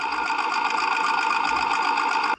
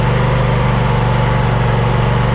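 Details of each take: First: Snapper LT200 riding mower after fitting a new fuel pump and new fuel filter (the old pump was the cause): an even, fast cranking buzz for a little over two seconds, spinning normally with no drag. The carburetor still needs cleaning, as the engine hunted. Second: Snapper LT200 riding mower that cranks but won't start: a steady low chugging idle, about four beats a second, stumbling near the end. It is running on residual fuel from a filter stuck into the carburetor because the fuel pump isn't pumping well.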